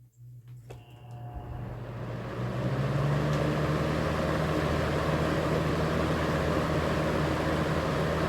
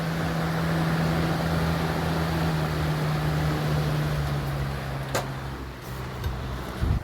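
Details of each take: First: Early-1990s 20-inch Robeson 2393 box fan on high speed: steady drone with a rhythmic wobbling thrum about three times a second as it shakes and scoots side to side; warped blade hub. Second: 1991-1992 Robeson 2393 fan after its warped plastic blade hub was replaced with a spare blade: steady low hum, even airy whoosh, and the motor buzz is gone; running smoothly.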